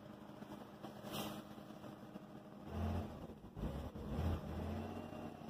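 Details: 2005 Hyundai Santa Fe 2.7 V6, first start after standing seven years, with the fuel line replaced with 7mm hose and a jump start. Soft, steady low idle with bumps and handling noise around it; the V6 ticks over evenly at normal idle.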